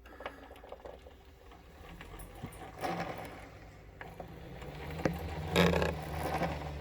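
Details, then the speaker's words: Concept2 rowing machine: light, uneven ticking about twice a second at the start of each pull with a chain stutter, fading as stroke speed rises; oiled, source not pinned down. "I don't ever remember the clicking noise like I said the faster you go the noise goes away"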